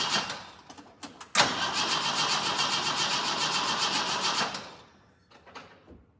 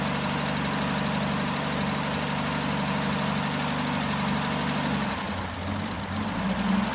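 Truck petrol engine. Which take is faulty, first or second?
first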